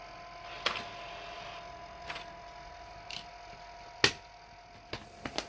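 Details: PS4 console making sharp irregular clicks, five or six in a few seconds, over a faint steady hum; clicking at the beginning is new, while another sound at the end has been present since release; source unclear.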